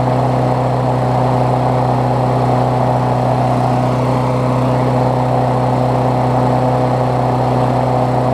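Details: Briggs Classic single-cylinder swapped onto a Bolens push mower deck, run after fresh gas and 16 oz oil on a temporary throttle: smooth, constant drone, no misses or surging; running cleanly and steadily.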